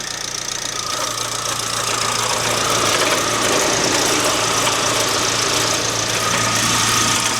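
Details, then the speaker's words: 2009 Mk1 Ford Transit Connect idling in neutral before alternator replacement: constant high whirring whine and gritty rumble over the idle, unchanged throughout; worn alternator bearing suspected as the cause. "There's your alternator. And I'm pretty sure that that's what's causing that noise."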